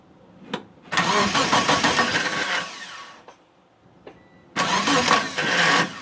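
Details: Mitsubishi Eclipse after sitting about 8.5 years, with fuel, spark and timing confirmed and fuses good; two roughly two-second bursts of steady cranking, no firing; owner suspects the crankshaft position sensor and plans a vacuum test.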